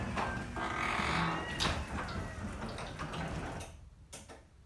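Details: Up-close recording of a Genie garage door opener, squeakier and louder than the two earlier recordings because it was run earlier in the day: high, wavering squeals and creaks over a low rumble as the door travels, then fading. Worn, dry door hardware squealing.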